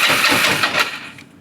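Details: Used motorcycle with an apparently drained tank, first start on a little added fuel. It catches, sputters unevenly for under a second, then dies; fuel starvation, not knocking.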